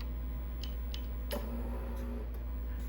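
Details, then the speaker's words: Icom IC-781 HF transceiver, mint-in-box, bench-tested into a Bird Termaline dummy load: antenna tuner relays click sharply several times over a low hum when switching from 1.8 MHz to the 2 MHz range, normal. "can hear the tuner clicked when I put it to two Meg"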